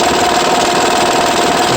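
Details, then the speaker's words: 2009 Honda Pilot 3.5 V6 at idle: busy dense rattle over the run from the front; timing belt tensioner suspected, not confirmed. "el motor detectó a problemas de que hace un ruido parece que en el tensor de la de la banda"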